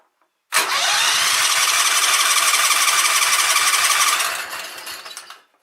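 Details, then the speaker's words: Sears Craftsman riding mower with Kohler Command engine, no-spark fault, rectifier unplugged: steady cranking chug of three to four beats a second with some firing, fading off without catching; owner thinks the coil is probably good and suspects flooding. "but but but even though it's cranking even though it's cranking"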